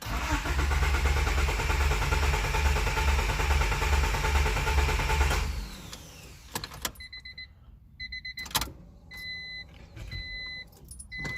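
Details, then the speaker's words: JDM Honda D15B VTEC turbo: starter cranks steadily about two per second for five seconds but never fires, then door chimes; crank no start, injectors or plugs suspected, unconfirmed. "so let's just see what it does yeah see it definitely doesn't want to start"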